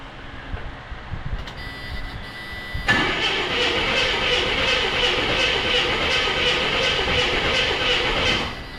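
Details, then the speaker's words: 1984 Chevrolet C10 pickup, six-cylinder, 84k miles, parked since 1993: cranks about three pulses a second without firing after corroded distributor internals were replaced; owner suspects coil or whole distributor, water and rust found inside. "Doesn't sound any different. I don't think we still I think I might need to change the coil or the whole distributor."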